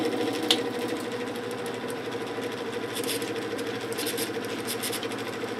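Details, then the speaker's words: 1950s GE F11W3 reversible window ventilator fan, shaded-pole motor rated 2.5 A, on medium speed, before oiling: steady hum with faint rough scraping at the back of the motor; dry bearings suspected. "a bit of scraping in the back of the motor"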